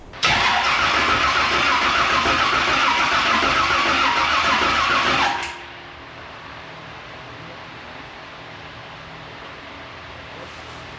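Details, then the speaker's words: Race car with new ignition system and new cam after torque converter swap, first start attempt: steady starter cranking for five seconds with no firing; crank no start because the crank trigger input signal was not plugged into the ignition box. "So failure number one, you have to plug the crank trigger input signal into the box."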